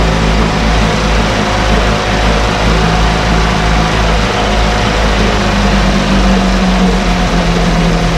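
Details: 1968 Evinrude Fastwin outboard, run in a test tank with no work done; steady, even low drone holding pace without stumbling or surging; normal idle.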